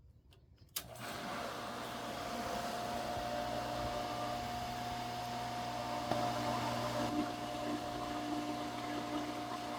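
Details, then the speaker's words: Pool sand filter pump at first start of pool opening. Steady motor hum with thin high whine and no water rush; no water coming through, pump lost prime with air in system, needs more water added. "As you can see, no water is coming through there anymore. I will have to redo that by adding more water."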